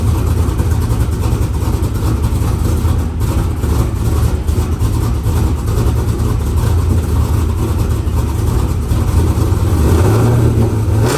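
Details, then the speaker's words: F-body street car first start after installing Texas Speed Performance Magic Stick 4 cam, air cleaner off, after weak battery: loud, deep idle loping unevenly with choppy pulse, much different from before; typical aggressive-cam lopey idle. "It sounds killer. I think I'm more impressed with the fact that it started up and ran, but it does sound a little choppy."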